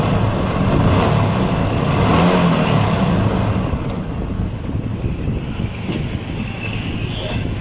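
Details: Honda XRM125 single-cylinder engine after its engine noise was solved; revs up and settles back with a steady, even beat, no knocks or rattles; normal revving.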